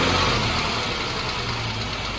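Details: 2014 Jeep Wrangler 3.6L Pentastar V6 at idle: a light, fast tick over a fairly smooth engine note. The owner asks whether it is rocker arm or valve tick; the source is unconfirmed.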